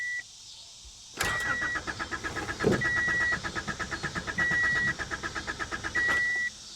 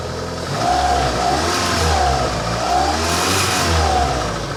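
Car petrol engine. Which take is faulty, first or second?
first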